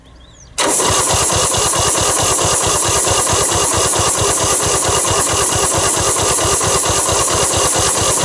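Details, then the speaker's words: 1973 Belarus crawler tractor, 47 years old: even starter cranking about five beats a second that never catches or fires; crank-no-start, no spark. "Alright, nothing. So, well, first thing we'll do, let's check if we've got a spark."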